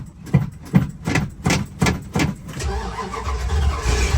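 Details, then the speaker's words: 440 big-block 1977/78 Dodge D200 crew cab, sat a week, dead battery, poorly working accelerator pump: slow cranking at about 2.5 strokes a second, then a rough, uneven catch; hard cold start. "did I mention that the accelerator pump doesn't work very well well come"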